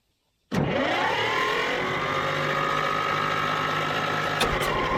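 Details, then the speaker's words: Old Caterpillar D6 dozer diesel, after fuel supply fixed, fires at once, revs briefly, then settles into steady even clatter; normal start once fuel reached it. "we're getting somewhere now yes oh my goodness all right that's amazing once you get a little fuel to something"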